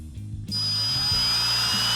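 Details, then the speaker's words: 1971 Plymouth Cuda engine oil pump being primed with a drill and pressure gauge: drill whines high and steady with no lugging, gauge not yet rising; oil pump not yet primed. "Okay, so it hasn't loaded up yet. You'll see it on the gauge when it does."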